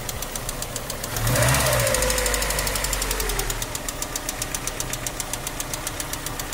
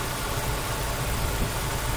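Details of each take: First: Ford Escort 1.8 16-valve DOHC petrol: sharp metallic tick, about four a second, at idle and through a rev, hot or cold; cause the hydraulic lifters. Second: Ford Escort 1.8 16-valve DOHC after lifter cleaning, new crank and cam seals, water flange and fully synthetic oil: steady even idle with cooling fan whoosh, former metallic lifter tick gone — normal idle.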